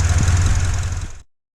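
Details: 2004 Honda Accord 2.4L petrol after its shorted ignition coil was replaced to cure a single-cylinder misfire: steady, even low idle rumble with no stumbles or skipped beats before shutdown. It is idling smoothly.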